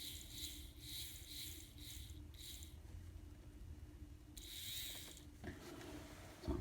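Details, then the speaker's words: Kato SD40 locomotive after maintenance for noisy running: light, even whir from the motor and gears in soft repeating pulses, no grinding or chatter; drive now smooth and barely audible. "so that made a huge difference you can barely hear it now that's what I'm talking about"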